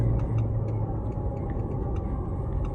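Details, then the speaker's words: Chevrolet Prisma 1.4 automatic after replacing torn loose engine mount that caused shudder and right-side noise blamed on gearbox: steady low hum with light even valvetrain tick, no clunk or shudder; normal idle, check-engine light still on. "Agora o carro tá tá redondinho, ó."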